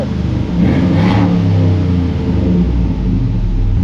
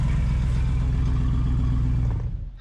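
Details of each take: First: Jeep after the tailpipe was welded and a custom exhaust fitted; a quick blip then a deep even rumble that settles steadily, with no puffing or ticking from leaks; exhaust sounds healthy. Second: Jeep at idle: loud, blatty low rumble with a raw unmuffled edge, heard from inside as rough and smelly; the muffler seems to have a big hole, an exhaust leak from the muffler and tailpipe.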